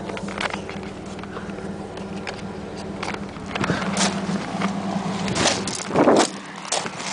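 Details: 1997 Pontiac Firebird 3.8L V6 idling, camera held down in the engine bay: steady low hum with a sharp, uneven ticking over it.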